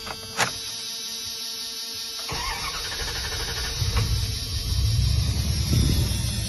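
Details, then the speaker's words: 1998 Ram 1500 Magnum V8, crank no-start with no spark or fuel, after replacing cam and crank sensors, rotor, cap and coil: engine catches and settles into a rough but building low rumble; starts and runs. "If this starts, there we have it. There we have it. This was the solution for it."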